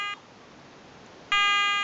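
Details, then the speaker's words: Garrett ATX metal detector running its frequency scan, which checks all available frequencies for about 30 seconds to pick the quietest against EMI: two clear high beeps, short then longer; normal operation. "just scanning all the available frequencies and it's going to pick the quietest one this goes on for 30 seconds"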